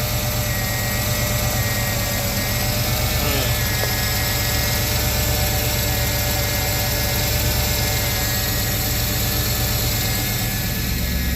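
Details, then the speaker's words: Firebird being prepped out of storage, idling: thin high squeal with a faint repeating tick or knock; owner suspects the AC pulley, also wonders about a manifold leak, not confirmed. "I have a pulley that makes a weird squealing and kind of like a a Knockin sound to it um I believe it's the AC pulley so I'm going to end up uh deleting that anyway"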